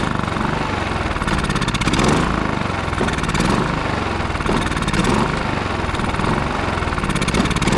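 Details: Westinghouse iGen4500DF inverter generator that would not run after almost a year in storage, now on fresh fuel with Seafoam added: a loud, steady engine drone with a slight rhythmic surge every second or so; normal running, running on its own again.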